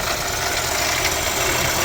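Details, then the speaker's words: Mercedes-Benz CLA W117 with coolant leak and Top Up Coolant warning: loud rough hissing whir from front of idling engine; failing water pump bearing suspected. "เสียงอะไรวะเสียงปั๊มน้ำป่เสียงดังน่ากลัวมากอ่ะเนี่ยเดี๋วออกมาตเหมือนปั๊มน้ำเลยครับดังอยู่ตรงเดังน่ากลัวมากเนี่ยดังหน้าเครื่องเสียงหอลูกปืนเลยนะ"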